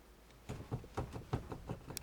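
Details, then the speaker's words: Car doors a year after adding 3 mm STP vibration damping and Splen insulation: about eight dull knocks as the sagging door is rocked, gap appears; worn door hinges, same on left and right. "слышим стук, видим появившуюся щель."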